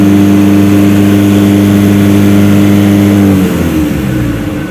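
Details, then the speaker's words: Mitsubishi L300 Euro4 diesel, about 4,000 km, lacking climbing power: revs hold at about 3000 rpm and won't climb with clutch pedal pressed (4300 released), then drop; clutch pedal switch misadjusted, limiting rpm. "Coba kita injak pedal koplingnya dia mentok di berapa ini nah dia mentok di 3000 temen-temen gak bisa naik"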